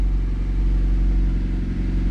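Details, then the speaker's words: Ford Focus started from the cab after repair work: steady even low engine hum, no more vibrating or shudder, nice and smooth, though a possible minor exhaust leak is suspected; normal running. "oh wow wow sounds better sounds like it might have an exhaust leak that's crazy no more vibrating nice and smooth"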